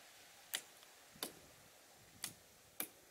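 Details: 2016 Polaris Sportsman ATV with driveway grader hard-wired to ATV battery via winch switch and relay; four crisp isolated clicks as the switch is pressed, relay engaging normally, circuit working.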